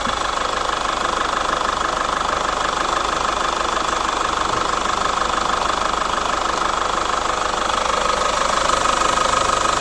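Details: Chevrolet Captiva FL diesel at idle: hard, very regular clatter about three beats a second; diesel injector knock, injector and turbo faults found, fixed with total cleaning, new injector rings and check valves, turbo hose, throttle elbow bracket.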